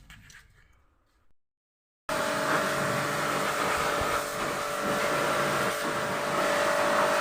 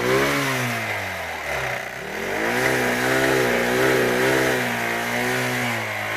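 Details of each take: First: Royal Enfield Thunderbird 350X single after repair of its noise problem: fires up after a short pause and runs with a smooth, even beat, no knocking or rattle; normal running, problem solved. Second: Royal Enfield Thunderbird 350X single-cylinder: thump rising and falling with the revs, uneven clattery edge on top; abnormal engine noise, cause unclear.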